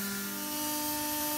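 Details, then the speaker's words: MultiCam 3-204 CNC router, 5.5 HP Colombo spindle warming up from 6000 to 12000 rpm, later reaching 18,000 rpm. Quiet, steady high-pitched tone with no wobble or vibration; whisper-quiet, smooth, normal spindle. "it's about to go from 6000 to 12000 rpm so you can listen to that now as you can hear it is whisper quiet super smooth this machine is ready to go"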